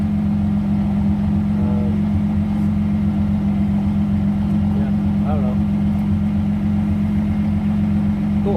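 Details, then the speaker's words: Twin-turbo V6 Mustang after DW 340lph fuel pump install: steady, even idle drone, no misses, hunting or stumbles; bigger pump fine at idle, driving still untested. "so idle seems fine but driving might be a different story yeah but yeah all right so uh now we know bigger pump at idle is okay"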